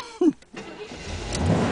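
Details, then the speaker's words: 1979 Corvette 350 V8, first start of the summer after sandblasted plugs, carburetor work and a new fan belt: cranks, catches and settles into a steady, even rumble with no misses or knocks; healthy. "Oh yeah. Now that's what a Corvette should sound like. Nice 350 engine."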